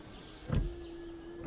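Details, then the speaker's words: Ford Transit MK7 screen wash pump, refitted after cleaning and reseating in its rubber seal: a click, then a steady even buzz at one pitch for nearly a second before cutting off; normal washer pump operation. "in fact I might see if it works before and should just hear it buzzing away"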